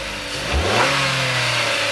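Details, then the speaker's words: After serpentine belt and alternator with ADP decoupler pulley replacement, engine revved: short rev climbs and settles cleanly, no squeal, chirp or bearing whine from the belt side; accessory drive runs quietly. "so in our uh uh is right there with the adp decoupler pulley everything is working quietly customer's gonna be happy"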